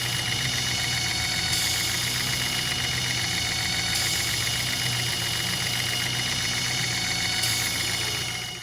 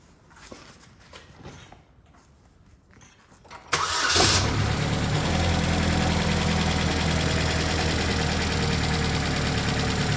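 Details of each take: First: 2008 Chevy HHR 2.4 Ecotec, warm idle with intake removed: steady high whistle through PCV/crankcase breather, louder when covered, quieter when released; oil cap later found broken, owner suspects excessive crankcase pressure. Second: 2008 Chevy HHR 2.4 Ecotec, warm engine at idle after replacing a faulty intake part that caused whining/whistling suction noise (air sucking at oil cap and dipstick): starts and settles into a smooth, steady idle with no whistle.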